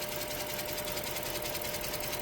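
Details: 2007 Chrysler 300 with 5.7 Hemi V8 idling with rapid, busy ticking and a thin steady tone. Cylinder 7 misfires; live scan data shows no injector 7 drive signal from the engine computer, which is to be replaced.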